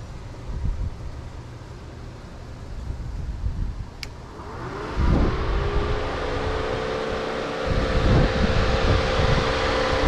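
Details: Mustang with GT500 replacement cooling fans wired straight through a new relay and switch, resistor deleted, 40 A fuse fitted, engine idling: around the fifth second a whoosh spins up into a steady hum over the idle; both fans running properly.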